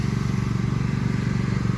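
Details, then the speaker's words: WEN 56380i and GN400i inverter generators paralleled with the 50-amp kit, both idling in eco mode, the open-frame one dominating: steady low even drone with a soft pulsing beat, no misses or knocks; normal paralleled idle. "Both of them running on eco mode, and you actually, you're not going to hear the quiet one hardly at all. It just sounds like just a loud one running out here."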